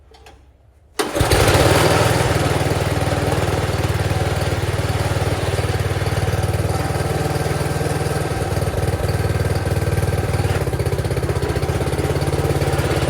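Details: Wheel Horse garden tractor, the fourth of four to start. Quiet cranking, then the single-cylinder catches at once and settles into an even putter with no misses; a normal, healthy start and idle.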